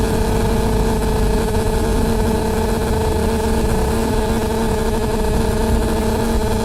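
A loud, unbroken drone with a steady hum riding over the running bus; it never lets up, source unidentified.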